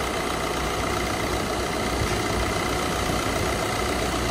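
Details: Maruti Dzire after AC compressor clutch set and burnt bearing replacement and gas refill, AC on at idle: steady, even hum with no grinding, chatter or clutch slip; normal compressor operation.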